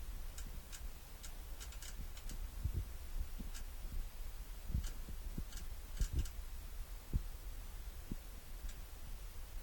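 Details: Damon motorhome hydraulic system making quiet, irregular low clicks and soft thumps, roughly one or two a second.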